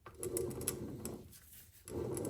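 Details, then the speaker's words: Triumph Spitfire overdrive transmission on the bench in reverse, output shaft spun by hand: an uneven metallic rattle and light ticking that fades and returns; loose ball bearings are dropping inside. "Now, can you hear that? Listen. There's ball bearings in there that are dropping."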